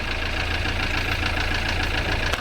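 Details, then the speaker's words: Ford Transit Mk7 diesel van bought as spares or repairs, idling after topping up the oil, some black smoke: dull tapping knock over diesel clatter, much less than before oil; engine knock, seemingly from top end, cause unconfirmed. "Listen to that now. She's knocking off as not half as bad as what she was. Surprised what a bit of oil does."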